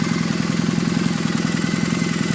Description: another one of the warmed up engine making strange chirping sounds, help me identify it